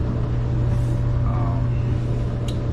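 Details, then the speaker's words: Clothes dryer after replacing corroded, fried plug and power cord that stopped it powering up: steady even low hum, no rattles or scraping; running normally with plenty of heat. "Oh yeah, it's got plenty of heat in there. Really works good."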